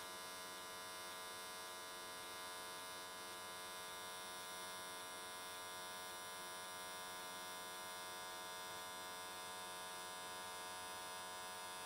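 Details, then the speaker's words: AC TIG welding an S13 catch can, likely aluminium, at 95 Hz square wave. Even, steady electric buzz without crackles, pops or wandering. Normal, stable, well-set arc, judged a good frequency choice that carried the weld around in one session. "i think 95 hertz on square wave was a pretty good choice"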